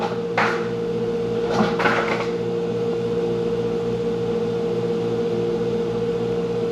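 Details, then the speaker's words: Hoshizaki 150 undercounter ice machine getting ready for harvest: steady compressor hum with clear tone and a few sharp clattering drops of ice; normal ice harvest. "Ooh, I can hear the ice makers getting ready for a harvest."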